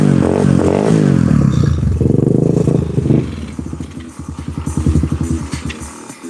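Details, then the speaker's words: Single-cylinder pit bike after cold start on hand-held choke: brief rev, then slowing uneven pulsing beat struggling to hold idle; poor cold idle, cause not confirmed. "Uhoh. Let me uh try and adjust this uh idle screw real quick."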